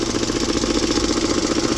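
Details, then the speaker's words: 2002 Mazda Protégé idling after power steering and alternator belts came off, coolant slightly low: uneven pulsing putter in exhaust beat, slight misfire-like roughness. "That's everything we found on this so far. We do have that little bit of a putter, but I gotta say,"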